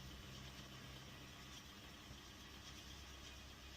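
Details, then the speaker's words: 2015 Toyota Aqua hybrid, code P0171 system too lean, in maintenance mode: low, slightly uneven beat at idle, no misfire counts, fuel trims adding about 40%; rough idle from lean mixture. "Got it running a little rough. I just like to see exactly what's going on with my O2 sensor."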